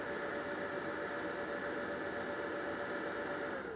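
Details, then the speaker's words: Old trash-picked Lenovo ThinkCentre desktop at power-on: steady mid-pitched whine over a hiss from switch-on until it cuts out; owner suspects the power supply, not confirmed. "I'm just gonna plug it in now so yeah I'm gonna turn it on yeah yeah that ain't good that that ain't that ain't good"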